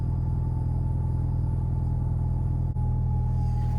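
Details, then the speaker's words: Alfa GTV first start after rebuilt fuel pump assembly: steady low rumbling idle, even beat, no misses or knocks; started well, running cleanly. "okay it's quiet now i can hear it running it's quite high pitched it's uh that was a good start though that run well"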